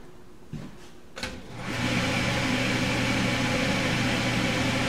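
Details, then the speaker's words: Benchtop steam sterilizer (pressure cooker) after about half an hour of sterilizing: a click as the valve is flipped, then a steady loud hiss of escaping steam over a low exhaust-fan hum as pressure drops toward one atmosphere; normal venting. "Pressure's dropping here, but it does take a while to get back to one atmosphere."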